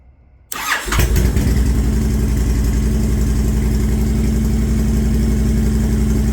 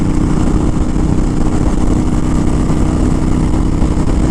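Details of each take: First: Honda Fury V-twin right after startup, following Cobra PowrPro Black fuel tuner installation: it settles into a loping idle with a wet bubbling burble through the exhaust. Too much fuel is going into the mixture, running rich, and it needs tuning. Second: Honda Fury with Cobra PowrPro Black fuel tuner, 5th gear at steady 80 mph, estimated about 3,800 rpm: even engine drone under wind rush, no vibrations, stumbles or backfire; running smoothly.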